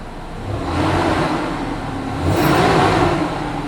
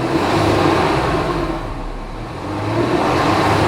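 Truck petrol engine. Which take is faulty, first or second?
first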